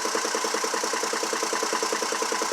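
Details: 2002 GMC Envoy 4.2 at idle with an uneven, loping pulse, one beat dropping out each cycle. A scan tool shows a cylinder 2 misfire, with the ignition coil suspected.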